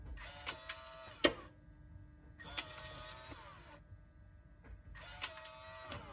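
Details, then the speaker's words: 2003 Toyota 4Runner V8 after replacing the Aisin SAT-003 4WD transfer case actuator without removing the transfer case: three quick clean motor whirs as it shifts into and out of four low normally, though center diff lock stays stuck. "Four low is going right in and right out."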